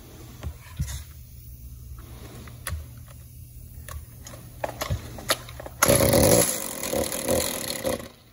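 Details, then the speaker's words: Stihl MS-192 top-handle two-stroke chainsaw: weak uneven sputter that can't hold idle, strained rev that won't climb clean; restricted exhaust, gummed spark arrestor screen likely from too much oil in fuel, before repair. "when i cranked this thing up just to uh you know give it a check out it won't idle and it won't rev up and 9 times out of 10 when that happens it's going to be a restricted exhaust system in my experience"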